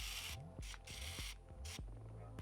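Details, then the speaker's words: Sony SEL1650 16-50mm kit lens on A6300, powered on and extended: short bursts of fine high whirring with soft clicks; noise stops when lens is moved, returns when turned sideways; intermittent internal fault, cause unknown to owner. "Turn it sideways, and it makes the noise again. So I have no clue why it's making this noise."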